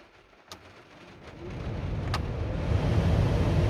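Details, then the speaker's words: Renault Scenic Mk3 heater blower that had been sticking, replacing the resistor didn't help, now freed without removing the motor, next day: spins up to a smooth, steady whoosh with no rattle. "oh that sounds good fingers crossed it lasts"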